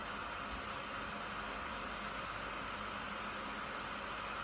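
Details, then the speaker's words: Traxxas Maxx RC car ESC/motor cooling fan, replacement fan with tape added on its sides in the housing: soft, steady airy whir, no rattle, noticeably quieter than the stock fans; the loose fan casing had caused rattling. "there as you can tell it's significantly quieter than the stock fans so as I say I will reserve judgment on whether they're going to be fit for purpose you can tell they're getting up to speed"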